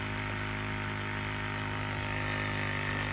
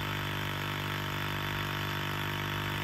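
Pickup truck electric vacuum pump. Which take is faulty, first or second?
second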